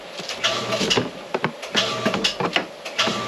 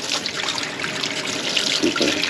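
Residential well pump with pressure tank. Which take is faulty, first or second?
first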